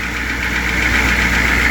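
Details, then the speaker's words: 1995 Georgie Boy Swinger 32ft diesel motorhome: steady diesel clatter at idle with an even, unbroken rhythm and no misses; oil pressure now working, ticking over normally. "It started, it's running. We can see now the oil pressure is working, which is fantastic."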